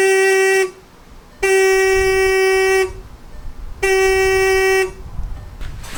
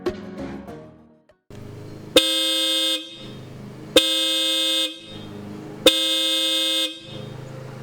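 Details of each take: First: 2013 Jetta TDI original horn before replacement with Hella horns: three steady, thin, reedy single-tone honks, each about a second long, barely registering on the meter; only one of the two horns works. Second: 2013 VW Jetta TDI with newly installed Hella horns replacing failed OEM horns: three clean loud honks about a second each, steady bright pitch, both horns sounding together; working normally.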